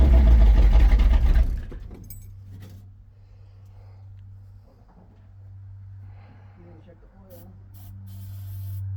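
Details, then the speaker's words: Chevy 350 V8 square-body 4x4 truck after a quick fuel line replacement (new hoses had been squirting fuel): a loud burst as it catches, then a steady, low, even idle with no stumble; normal start and idle. "No, I had it. Nice. Hell yeah. Quick fuel line replacement. Started up not too long ago."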